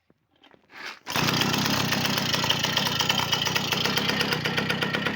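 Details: V50 two-stroke after full overhaul with a Dio piston: cranks once and catches after a second, then settles into a quick, even buzz with steady revs and no knocks; engine runs perfectly.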